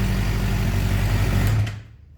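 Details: 2007 Suzuki GSX-R 600 after water pump seal, freeze plug and electrical repairs for coolant in oil, started on a weak battery: steady, even low idle with no knocks or misses, then shut off and dies away. Normal idle.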